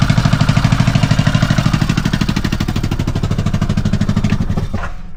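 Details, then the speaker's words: Kawasaki Mule idling in neutral: heavy regular low rattling pulses about two to three a second until shutdown; exhaust rattle or leak suspected, nothing visibly loose; cause not found. "It's obvious there's a problem, but I don't see a problem."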